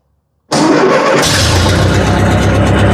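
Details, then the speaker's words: 70-year-old Massey Ferguson TO-30 tractor, long non-running, started without starting fluid: silence, then engine catches at once and holds a steady low idle without stumble, but runs only on choke. "there we go running on choke good"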